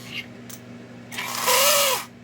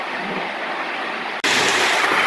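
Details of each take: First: Lionel pre-war 1666E locomotive, first test run before restoration: thin whirring whine swelling and fading as the motor spins up in reverse; sounds dry and needs oil, though the E-unit cycles and both directions work. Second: Lionel gunmetal 1666E locomotive with heavy whistle tender, run alongside an older loco pulling passenger cars: even whirring rumble with soft steady rail clatter, no catches or grinding; runs smoothly.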